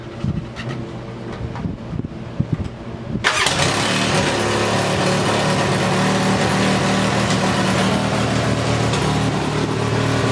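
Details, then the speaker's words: Polaris Sportsman 600 ATV with a swapped carburetor cranks, catches and settles into a loud, fast, uneven rough idle; battery voltage tests good, tach reads no rpm; rough high idle from an intake air leak. "i'm gonna try to start this thing for you so you can see how it runs see how it idles it's pretty rough"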